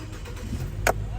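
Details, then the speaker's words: Nissan no-crank no-start after driving in rain; water got into wiring, connector refitted, relay/IPDM changed: engine now catches right away on the key and holds a steady low idle with no stumbling; starting properly. "अब गाड़ी को मैं start करके आपको दिखाता हूं यह देखि गाड़ी हमारी हाफ सल पर स्टार्ट हो गई है"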